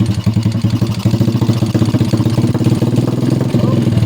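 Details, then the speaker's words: Honda XRM 125 motorcycle that lost electrical power from a broken ignition switch: loud hard internal rattling at idle, about ten pulses a second; engine clatter from running with almost no oil. "Kakalansingan sa loob. Walang oil yan. Walang oil."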